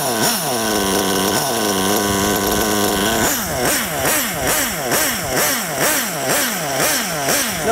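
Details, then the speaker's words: Nitro RC car engine after low-speed needle leaned back toward optimum from too rich: quick throttle blips rise crisply from idle and drop straight back, no bogging or sputter, car not creeping forward at idle; low-speed mixture right. "notice the engine RPM raised a little bit but it's not creeping forward okay I can spin the wheels engine climbs a bit dies down"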